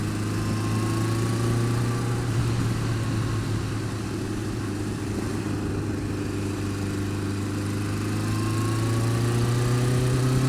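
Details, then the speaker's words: Warm Honda Fireblade idling steadily with a light, regular tit-tit-tit tick; noise worse when cold, quietens but doesn't go away when warm; feels slippy; source not yet identified. "Like, tit, tit, tit, tit, tit, tit. That's not normal."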